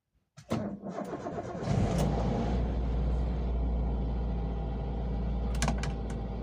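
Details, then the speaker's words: Toyota Avanza fuel-injected engine, cold morning start: short crank, catches right away, settles into steady even idle without misses; dashboard warning lights all go out, no ECU trouble; healthy cold start. "seperti itu teman-teman ya jadi ketika mesin sudah menyala maka indikator pada dashboard akan mati semua itu tandanya tidak ada trouble pada Icu injeksi kita teman-teman"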